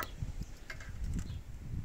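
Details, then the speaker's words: 1990s Yamaha Virago 535 motorcycle with a replacement fuel pump on a temporary connection. A quiet low buzz with soft irregular pulsing as the pump switches on and primes: normal priming, and the bike then starts right away. "là on l'entend se déclencher on va essayer de lancer la moto"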